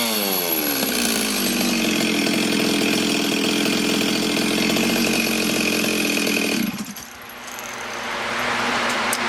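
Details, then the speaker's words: Ported Stihl 026 chainsaw, startup and test cuts. Crisp, steady high revs, a quick drop, then a clean climb back up; runs strong, peppy, well scavenged. "she's a sounding real nice you guys are remembered I've mentioned the Whisk"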